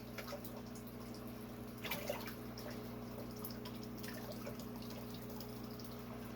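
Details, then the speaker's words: Soft, irregular gurgling and drips over a low steady pump hum from a native aquarium tank, where the fountain's return feeds in awkwardly; aquarium fountain gurgling. "you can hear that gurgling in the background that is from my native tank i still need to do something with that way that fountain feeds into it"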